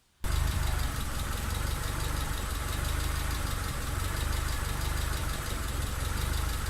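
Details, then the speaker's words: Mitsubishi Lancer EX turbo idling: lumpy stumbling idle, uneven thudding pulse, constant misfire; plugs, leads, coil, cap and rotor, MAF replaced, ECU swapped, coolant and intake air temp sensors in spec, cause unknown. "another thing is I still haven't finished the running issues it's still still running terribly and constant misfire"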